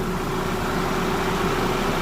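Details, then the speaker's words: Audi A4 2.0 turbo after major repairs, first run: steady smooth idle with no knocks or misses under a loud rushing roar of radiator fans running hard because of the coolant. "Alright guys, finally I got to work. I got it to crank. I got the rad fans going crazy right now because of the coolant. So we just have to keep it idle for a bit."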